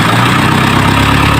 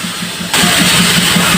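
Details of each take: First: Isuzu 4HL1 diesel, which had hard starting and stuttering running, now after crank sensor cleaning and parts replacement; steady, even, low smooth idle with no shaking or missing; runs normally. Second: Isuzu 4HL1 diesel, hard starting: long even cranking, three pulses a second, without catching; engine hunts when running and needs fuel pump priming after shutdown. Cleaning the crankshaft sensor didn't help; crankshaft position sensor suspected.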